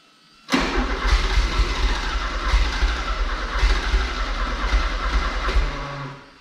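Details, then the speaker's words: 1984 Porsche 944 that sat for years, fuel pump run directly from a separate battery: starter churns steadily about three beats per second with no firing; crank no start, injectors suspected clogged by bad gas or not being fired. "so still could be the injectors or the injectors not wanting to be fired"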